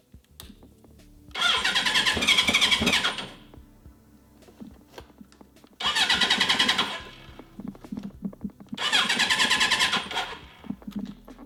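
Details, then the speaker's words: 1980 Suzuki GS1000S Wes Cooley inline-four with a carburetor fuelling problem, starting hard and stalling off idle when warm. Ragged revving bursts sag and nearly die between blips; smoother now but won't idle off choke. "I swear it's weird. It doesn't want to run on. All right. It does not want to run off a choke."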